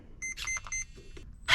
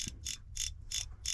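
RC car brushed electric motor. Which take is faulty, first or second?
second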